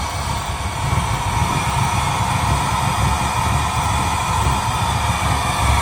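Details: 1972 Chevrolet Impala convertible with LS3 swap, after fixing injector connectors and clearing misfire codes on cylinders 1, 4 and 8: steady, even deep V8 drone at speed, no stumble or miss; running normally.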